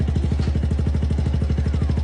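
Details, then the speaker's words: Suzuki Gixxer SF 155 at nearly 16k odometer, at its second tune-up, idling; fast, even ticking about twelve per second over a steady low idle thump; valve train ticking. "I-check yung mga possible na pagmulan nitong mga lagitik."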